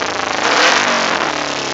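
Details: 2008 Kawasaki Ninja 250R: revs hang near 5,000 rpm then sag and nearly stall after each blip, idling around 2-3,000 rpm when it does idle; exhaust smells of raw fuel, runs fine at 50-60 mph; owner suspects rich mixture needing rejet.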